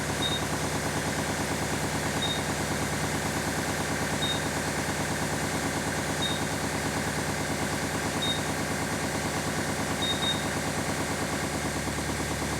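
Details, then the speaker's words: Kubota LX3310 diesel tractor, cold start after sitting outside at 23 degrees: steady idle with a short high beep about every two seconds while the dash shows a cold-engine warning, stopping after a few seconds once warmed. "here it goes now it's beeping and on the dash here it says it's cold should only be a few more seconds of beeping from my experience last night when i tried this"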